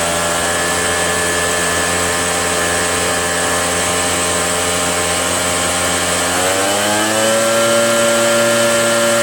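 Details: RedMax EBZ8050 gas backpack blower two-stroke after new piston rings fixed no compression (rings very tight, hard pull, hard start): buzzing steadily at high revs, then pitch eases down and settles evenly; runs cleanly.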